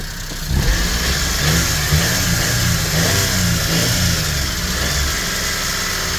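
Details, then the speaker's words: 1999 Mitsubishi MiniCab 4x4 (U62T) with a 5-speed manual and 13,050 miles, warming up: the engine revs and settles, with a light, fast valve tick fading away as it warms. Valve clearance tick; the owner plans to adjust the valve. "I will adjust the valve and it's slowly disappearing already, that tickling noise. It is valve."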